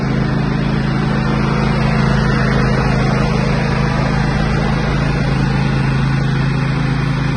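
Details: Husqvarna GT54CS two-cylinder garden tractor after maintenance (new plugs, oil and fuel filters, 10W30 synthetic blend), while driving: strong steady low drone, even beat, no misses or knocks; running smoothly.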